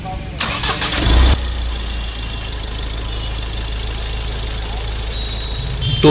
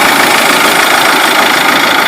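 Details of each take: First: Mahindra Scorpio mHawk diesel after replacing all four old, jammed fuel injectors and bleeding air from the diesel line: cranks briefly, catches and settles into an even, steady idle with no misfire; engine noise and roughness much improved, normal start and smooth idle. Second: Mahindra Scorpio m-Hawk diesel idling after start with harsh clattery knock, vibration and misfire, intercooler shaking, light smoke; old injectors found jammed tight are blamed for knock and misfire.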